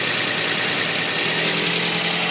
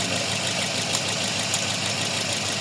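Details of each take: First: Toyota Vios after ECU repair of the cylinder 3 and 4 ignition coil/injector drivers for P0354 misfire, idling while warming up: steady, even idle with smooth hiss, no misses or stumbles; running cleanly on all cylinders. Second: Toyota Vios with code P0354 at idle: uneven, stumbling beat under a hissy background, one cylinder dropping out; number four dead because the ECU sends no ignition pulse to the #4 ignition coil.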